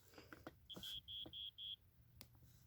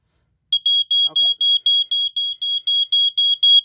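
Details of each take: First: 1987 Wake and Warn 2 smoke detector with rusted battery compartment, test button pressed: four short, thin, faint high beeps over handling noise; weak sounder, rust likely affecting it. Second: 1987 Wake and Warn 2 smoke detector, less rusted unit on an Energizer battery: loud piercing high beep pulsing about four times a second, strong and steady; working properly.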